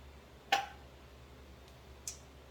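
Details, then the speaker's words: Pint jars of deboned chicken in broth just removed from the pressure canner after about 75 minutes: two sharp metallic pings about a second and a half apart over a quiet room, lids sealing normally. "But as you can hear, these are already starting to ping, which is, of course, anybody who cans, that's one of their favorite sounds to hear."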